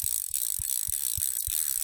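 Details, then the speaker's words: Chinese screw-on Shimano 7-speed bicycle freewheel after teardown, lube and reassembly, spun by hand: crisp even pawl clicks about three per second with soft ball rustle; quiet and healthy. "so it's um it's not noisy it's quiet"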